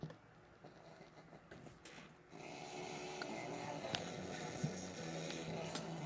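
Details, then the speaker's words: Mid-1990s Sears car radio revived on a 12.5 V bench supply, tuned to 97.7 with a makeshift wire antenna: harsh, fuzzy hiss and low hum; unclear whether weak signal or heavy clipping, better antenna possibly needed. "I don't know if that's a weak signal or it's horribly clipping"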